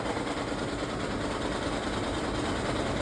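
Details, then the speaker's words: 2013 Lexus CT200h hybrid after water pump replacement, radiator fan not working, overheated to 240°F: steady, dense rattling knock over low engine rumble, very loud while the engine charges the hybrid battery; owner wonders about the head gasket, cause unconfirmed. "So, this is what happens when it charges the battery. This noise comes out."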